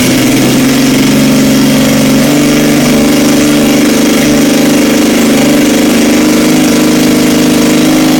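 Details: 1977 Yamaha XS750 four-cylinder idling after 30 years' storage, carbs rebuilt, fresh oil and plugs, velocity stacks, auxiliary tank: loud, steady, fairly even idle, no knocking or misfire; normal idle.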